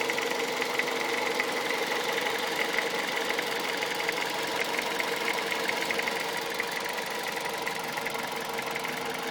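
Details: Toyota Avensis 1.8 VVT-i 2001 with 1ZZ-FE petrol engine idling with a quick, light ticking riding steadily over the engine hum; cause unknown.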